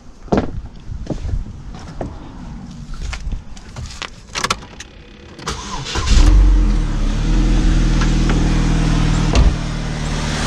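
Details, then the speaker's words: 2006 Chevy HHR with 125k miles, started on a booster pack with a weak battery and almost no fuel, catches and settles into a smooth, even, steady idle with no knocks or misses; normal idle. "as you can hear first like a kitten man can't fault it"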